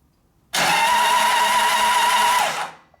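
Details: 1999 80ci Evo V-twin on rigid frame, automotive-style starter switch: steady even whirring crank, plugs out, no firing, in bursts while checking oil pressure and spark; oil pressure good, good spark seen on one plug; normal starter cranking.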